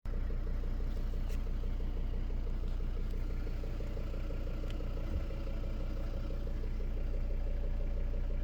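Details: 2014 Volvo V40 D3 diesel running: steady, rapid knock over the low rumble; owner wonders if injectors are the cause, not confirmed.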